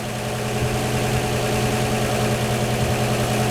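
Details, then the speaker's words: 1949 Chevy 3100 pickup, 235 inline-six with dual Carter Weber 32/32 progressive carbs, warming up at about 6,000 miles during a service: smooth, steady idle with an even hum and no valve rattle or ticking, so the valves need no adjustment yet. "you can hear just as good as me they ain't rattling at all and you get to the point where if it ain't broke don't fix it"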